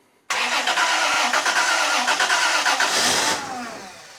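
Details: Toyota 90 Series Prado, first start attempt after extensive repairs, fuel pump not heard priming: starter cranks with uneven chugs about three seconds, nearly fires but never catches, winds down; petrol smell afterwards; crank no start.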